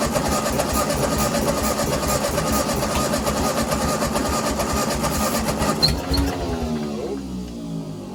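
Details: Ford 8N tractor, sat in weeds unrun for over five years, engine freed and a good coil fitted: catches and runs unevenly with an irregular, lumpy beat and some hesitation on its first start in years; rough running, oil pressure present.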